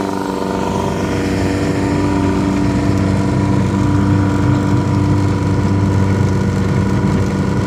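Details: Yamaha 100HP outboard test run after an ignition misfire: steady even drone rising smoothly under throttle with no stumble or miss; normal running.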